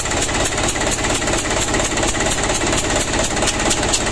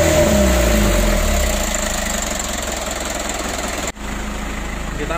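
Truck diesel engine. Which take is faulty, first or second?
first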